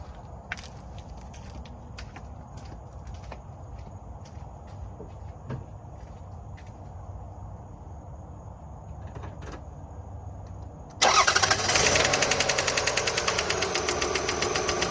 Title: 2002 Highlander V6 AWD ticking noise - valve lash adjustment needed? exhaust tick?